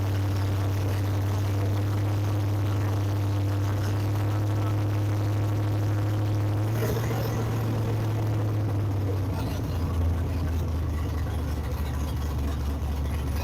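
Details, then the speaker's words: 2004 Pontiac GTO V8 started after wreck restoration, open headers, serpentine belt off so no coolant pumping: very loud deep steady rumble with even low drone, slight pitch drop; runs cleanly, no leaks. "but it is scary how loud it is you can't hear anything over this bar because it's obnoxiously loud"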